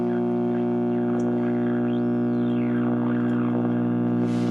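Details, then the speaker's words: Unopened Philco series-string tube radio tuned to WOR 710 kHz, brought up slowly on reduced line voltage, now at 70 volts: loud steady low hum with a heterodyne whistle sweeping over it, pointing to failed filter capacitors needing replacement. "All right, let's bring it up another 10. We're 70 volts. Oh. And it's humming."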